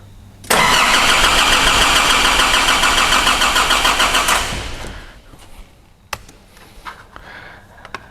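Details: 2005 Nissan Navara D22, ZD30 3.0 turbo diesel with rotary injection pump, no-start complaint: crank angle sensor deliberately disconnected for a test, starter cranks steadily at about 3.5 compression beats per second, never catching, with no ECU pump signal. Cranks but no start.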